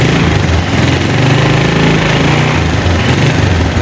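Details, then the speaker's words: Motorcycle just push-started, idling in neutral to warm up while the battery charges: steady low putter with an even beat, no knocks or misses; normal cold idle. "Otomatis ini sudah mengisi. Nah, ini udah ngisi."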